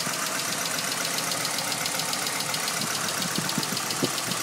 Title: sr20det silvia s15 ticking noise